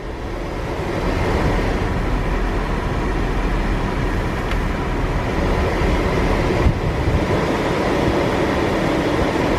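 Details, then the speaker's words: Impala 9C1 after replacing the blend door part with a junkyard unit: steady, even blower air rush with engine running, no more clicking or popping from the dash; normal HVAC airflow. "all right i don't hear more blind door bongos hey and i only managed to floor to man a little bit on this one and the other really big added bonus nothing's on fire yet"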